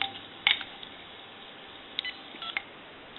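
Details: GE DECT 6.0 cordless phone after repair, tested on an analyzer with dial tone, dialing digits: short clean touch-tone bursts with a faint steady tone behind in a quiet room; keypad dials normally.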